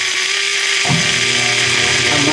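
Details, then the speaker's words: Washing machine drain pump: loud, steady hiss and rattle with a droning hum that shifts partway through; fault is in the pump impeller, the pump is described as running too powerfully, and replacement is suggested. "Voltando mais aqui pro vídeo, a eletrobomba dela está com muita potência. Então é onde está ocasionando aí todo esse barulho, ó."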